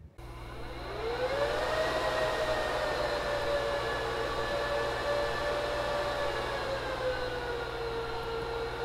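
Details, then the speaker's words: Rack servers powering up: fans whoosh to steady high whine within two seconds, hold, then ease down slightly; normal full-speed spin-up at boot to blow out dust. "still notably quieter but let's wait for it because these servers will those fans are gonna calm down in a moment they blow out the dust and everything before as they're just first booting up"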